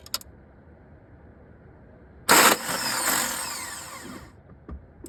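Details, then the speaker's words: 2003 VW Beetle, ALH diesel, 5-speed, deleted. Fuel filter renewed, fuel lines, pump and injectors bled, injectors only dribbling fuel; failed about 8 tries. Starter clatters about two seconds without firing; owner suspects the N108 valve. Cranking, no start. "Yeah, so the starter spins, but nothing is engaging with anything, so please help."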